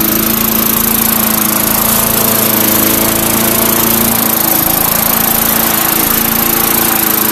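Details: 2004 Murray (Gold Star), engine built 2003, cold start: small engine holds an even, steady drone with no misses, knocks or surging; a little smoke, likely oil around head and behind muffler burning off. Normal running.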